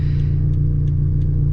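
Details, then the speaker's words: Turbocharged 2013 Scion FR-S (Greddy T518Z, 6 psi) with an ACT lightweight flywheel, driving: deep engine drone with faint regular clicks about three a second as revs drop below about 2500 rpm, very loud lightweight flywheel chatter. "when you're like in the lower rpms like when the rpms are dropping below like 2500 you can literally hear that lightweight uh flywheel really chatter like it's actually very very loud"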